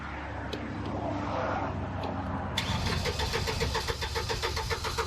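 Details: Upright AB62RT boom lift unused over a year, weak battery: brief sluggish crank, then a rapid run of sharp clicks, about three to four a second, with no turnover; battery too weak.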